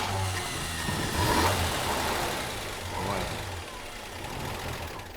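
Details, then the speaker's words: Restored vehicle with straight-six engine, power steering arm fitted: catches and settles into a smooth, even, steady idle with no knocks or misses; runs sweet. "Wow. Yeah. That's great. Sounds very sweet, doesn't it?"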